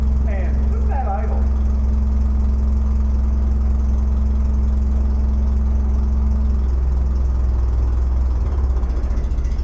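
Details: Terex crane diesel settling into a steady, even low idle with no misses or knocks. This is after the solenoid was given 12 volts by landing its wire on the switch terminal.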